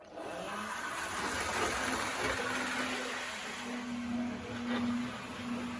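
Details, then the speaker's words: Vintage Tri-ang Hornby 1960s DMU model train after ribbed wheels were swapped for smooth ones: steady whirring motor hum with a light wheel rumble, even and without knocks; running smoothly and quieter than before. "And it is perhaps even quieter than the Well, you couldn't describe it as quiet, but it is quietened down more than the Pullman has quietened down, I would say."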